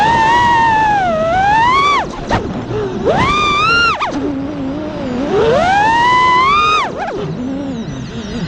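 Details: In flight after two bad ESCs were replaced with DYS 35A ESCs, the iFlight motor whine climbs and drops smoothly with throttle. There is no buzz, rattle or frame resonance. The motors and ESCs sound healthy.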